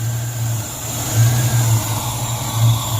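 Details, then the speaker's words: 1994 Mustang GT convertible with crank-no-start trouble, distributor set near 10° timing: it idles high, then surges and sags and shuts off, with barely any exhaust from the tailpipes. The cause of the rough, unstable idle is unknown. "Every time we start it up, it starts idling high 12,300 RPMs and then starts this nonsense and shuts off."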